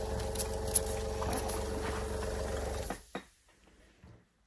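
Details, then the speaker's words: Mamod SP2 steam engine run on compressed air after oiling: wet, uneven chuffing about four beats a second for about three seconds, then dies away; struggling to run, owner suspects water in the cylinder. "hmm it's trying it's getting a bit closer"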